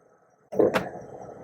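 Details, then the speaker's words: Chrysler with Pentastar V6 and 62TE automatic transmission, checked at 168 degrees fluid temperature, shifted into reverse: near-silent idle, then a sudden hard thump and a second bump a second later; harsh reverse engagement. "in the reverse oke slam here that that's not good that's a slam no joke little slam but that's a slam"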